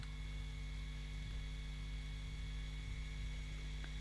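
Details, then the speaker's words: Digital thermostatic radiator valve (TRV) in adapt mode: faint, steady actuator motor whirr with a few even tones over room hum as the valve winds out; normal actuator motor run. "Prep. It says prep on the screen and I heard it do a thing. Adapt. Oh, look at it, it's winding it out."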